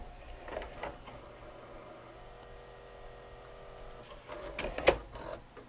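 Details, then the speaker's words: Sony SLV-N700 VHS VCR on tape insertion: small loading motor whirs steadily, but the mechanism stalls and clatters; loading motor slipping, with a crack suspected in the gear pressed onto the motor shaft. "oh interesting i think the loading motor is slipping right off the bat oh listen to that"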